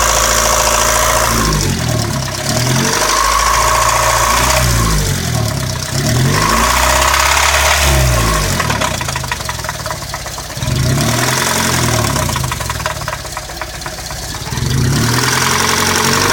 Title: 1998 Civic LX 1.6L - ticking sound from engine.